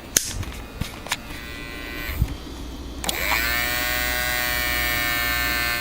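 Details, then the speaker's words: Toshiba Satellite T2130CS laptop built-in floppy drive reading a floppy disk, camera held close to drive; sharp clicks then steady high-pitched motor whir, owner suspects a dying floppy drive, unconfirmed. "That to me indicates a dying floppy drive, so my fears might be realized about that."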